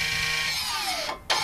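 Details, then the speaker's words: Ford Mondeo electric parking brake commanded off by diagnostic tool before rear pad replacement: short motor whir falling in pitch then cutting off as the caliper retracts to unlocked; normal release. "Donc là, on vient mettre notre frein de parc en position off, c'est-à-dire qu'il est en mode déverrouillé."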